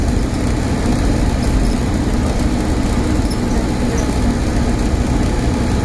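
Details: Stagecoach Cumbria Optare Solo bus 47020 (PO51 WLK) in service between Whitehaven and Workington, May 2015: a steady, heavy, low drone stays constant over road noise while cruising; a loud humming noise of unknown cause.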